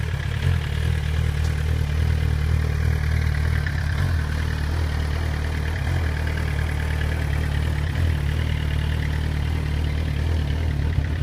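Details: 2008 Suzuki GSX-R 1000 at idle: deep, loud, lumpy uneven throb rather than a smooth hum, holding steady without revving; rough idle.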